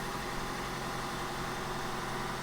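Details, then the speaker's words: Suzuki Wagon R+ (Vauxhall Agila twin) after sitting abandoned, first start, cold and on choke, no smoke; smooth, steady low hum with an even beat and no knocks, misses or rattles: normal cold idle. "So not too bad. Obviously it's on the choke at the moment."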